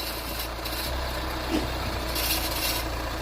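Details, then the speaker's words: Fiat Toro diesel idling evenly with a dry scratching rasp over it; suspected rubbing in the front belt and pulley area, not confirmed; scraping noise at idle. "Olha esse barulho arranhando."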